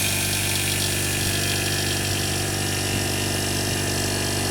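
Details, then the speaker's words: 1973 Alfa Laval milk tank being recommissioned with a new condensing unit replacing the rusted old one. It starts after a relay time delay, then gives a steady even hum with no knocks or rattles. Normal compressor running. "so there'll be a time delay before that kicks in there we go"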